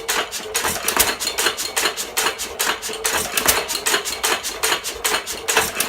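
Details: 1917 Fuller and Johnson hit-and-miss engine, first run in ten months: sharp metallic clicks about two a second with uneven gaps between firings, the normal fire-and-coast rhythm of a healthy engine.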